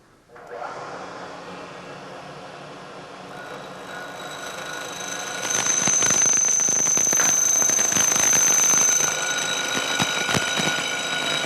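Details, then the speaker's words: Lathe cut turning into a loud, shrill chattering squeal as the tool nears the end of a workpiece cantilevered out of the jaws; the vibration worsens as the part gets longer. "as we get out towards the end of the part this cantilevered out of the jaws you can hear more and more vibration and you can imagine that that gets worse and worse as the part gets longer and longer"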